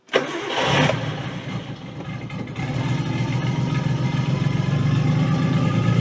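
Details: Nissan 240SX S13 RB20DET swap, start for test drive, PCV blocked to stop a vacuum leak, cold; engine catches, sags and stumbles, then slowly steadies: rough hunting cold idle, cause unconfirmed, owner thinks it needs warm-up.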